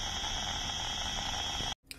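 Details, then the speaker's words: Radio receiver tuned to the GB3IR repeater output, and also the calling channel, near the Tesco Catterick Garrison entrance. A steady harsh buzz with fixed high whistles and a howl sits over the hiss, cutting out sharply. Suspected to come from the store; source unknown. "so apparently that interference noise is there as well now at the"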